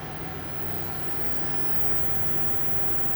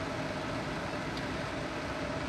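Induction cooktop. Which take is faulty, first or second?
first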